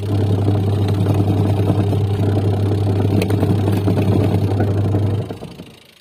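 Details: Washing machine (owner reported very loud wash motor noise) after repair, motor test-run: steady, even motor hum that winds down and stops cleanly with no grinding or knocking; drive is fully fixed.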